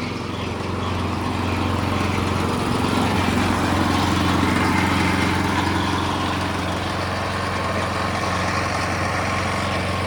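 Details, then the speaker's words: Small engine on vintage gold trommel after starter clutch fix and new seal against air leak; pump spun fast, high steady drone with faint pulsing, flow worse the faster it goes; water pump overspeed with low flow. "I got it spinning pretty fast and it's hardly pumping any water. So I think speed, as far as the oscillation, the faster it goes, the worse it gets. So now I'm gonna try slowing it down. Because going faster is clearly worse. I'm getting less flow."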